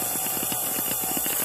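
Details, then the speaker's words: Sunbeam Mixmaster 12 at low-speed position one, after the low-RPM adjustment and regreasing the nylon gears and pinion: steady light whir, beaters about four turns a second, with a faint even gear roughness. Runs normally. "That's supposed to rotate about four times a second. And that's about right. And it's a little rough, but everyone I've heard on YouTube is a little bit"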